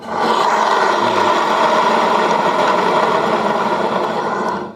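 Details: Yamaha Mio J scooter, CVT cover removed and parts checked one by one: coarse rasping growl (snoring noise) runs steadily as the CVT spins, pointing to worn CVT bearings.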